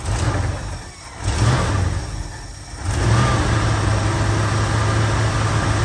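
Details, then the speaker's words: 1972 Ford Ranchero 500 V8, first start after about two and a half months sitting, new fuel pump, tank flushed, fresh fuel: after blips settles into a lumpy idle with occasional uneven beat; audible miss, smells rich. "i'm actually pretty impressed that it fired up the way that it did and it's idling fairly good i can tell that there's a miss i can hear it and i can smell it runny rich"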